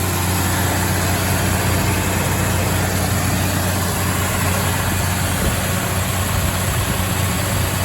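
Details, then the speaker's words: 1962 Mercury Monterey Commuter station wagon after an ignition tune-up (Pertronix kit, new coil, rotor, cap, plugs, wires): steady, even fast idle with the choke on, a smooth low drone with no misses; owner says the carburetor still needs adjusting. "Okay. So with the choke on, sounds pretty good."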